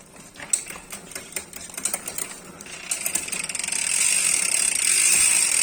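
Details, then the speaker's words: United Clovis 6.0 hardtail MTB rear wheel with Nautilus Rakac pawl-less freehub: crisp ticking as the wheel is spun, then a loud steady high buzz while freewheeling; normal freehub buzz. "pasti pada nanya keras banget bunyinya Om pakai HP HP apa nih saya kasih tahu jawabannya apa"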